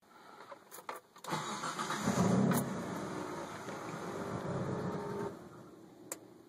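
Engine catches after a short crank, then settles into an uneven, slightly lumpy idle that never quite steadies; cause unclear.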